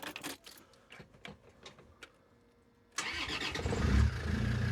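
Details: Land Rover Defender 90 TD5 after a new Denso starter motor, earth straps and battery terminal were fitted: some handling noise, then a quick clean crank that catches straight away and settles into a steady idle, sounding much better.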